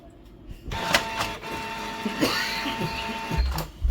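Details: Canon G1010 inkjet printer powered on after an experimental fix for error 1300 (ink cover closed, connector replugged): whirring carriage travel with a few sharp clicks as the head homes and parks; initializes normally.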